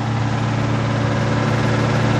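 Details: RV motorhome engine, dormant over 20 years, first run outside with rebuilt 1-barrel Rochester carb, fresh gas and an electric fuel pump feeding a fuel cell. Choke held closed while warming up. Low, even idle rumble with no misfire and no smoke; normal idle.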